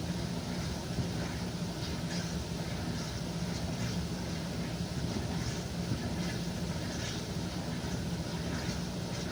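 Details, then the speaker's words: 1957 solid-tub Speed Queen washer spinning and draining: a steady basket drone with a rhythmic pump chug, normal, though the owner says the fluid drive needs a little more oil to pick up better. "But you can hear it spinning the water out. Yeah, and hear the pump chugging away."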